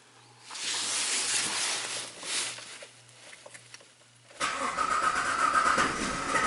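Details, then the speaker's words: Jeep Liberty after engine swap, cam gear replaced, code P0340 no cam signal at PCM, no RPM signal: starter churns several seconds with uneven chugging, almost fires but never runs; crank no start. "oh oh oh it sounded a little better than last time it almost fired up and the sink we're not losing the sink"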